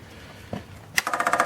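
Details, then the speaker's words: Wolseley 14/56 14/60 six-cylinder engine, stored for years, on a test stand with compressions of 110–120 psi: the electric fuel pump is switched on before the first start, giving quick, even ticking of about ten clicks a second as fuel comes up: normal priming. "watch's for fuel coming up and it's coming up now I'm just hoping it doesn't absolutely pour out so that looks all I can hear it going in"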